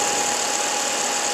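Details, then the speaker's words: 1995 Packard Bell Legend 408CD, upgraded 2.1 GB hard drive, booted after about four years unused: steady high whine with fixed mid tone over fan hiss, no clicks or scraping; drive spinning normally. "So actually we've got, you can hear the hard drive. Really going on there."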